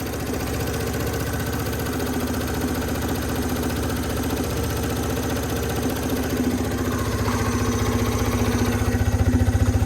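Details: 2014 Yamaha Zuma 125 scooter stored since 2017, first start after fuel pump work and fresh fuel: steady even single-cylinder putter at idle, then revs climb smoothly; running healthy.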